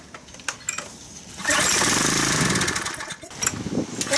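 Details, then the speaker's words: Craftsman pressure washer, model 126M02-0344-F1, with a Briggs & Stratton engine. A few weak pops, then it fires on full choke, runs about two seconds, sputters and dies. The mechanic suspects a clogged carburetor main jet; not confirmed. Starts then immediately dies. "you guys could hear the thing fires up and then dies"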